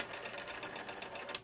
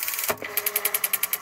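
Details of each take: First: Western Electric 5 rotary phone dial, claimed serviced but apparently never touched: about eleven crisp, raspy clicks at roughly eight per second as it returns, a harsh ratchet from the dry, unserviced dial. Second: yeah that's lubricated clean lubricated and functioning perfectly and that's what everybody wants that sound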